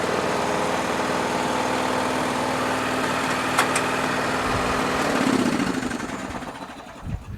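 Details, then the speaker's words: Toro riding mower engine: a steady, smooth, quiet low hum with no knocks or misses before winding down; runs really good. A separate rattle is thought to be the transmission pulley. "this engine really runs good though really good runs quiet too"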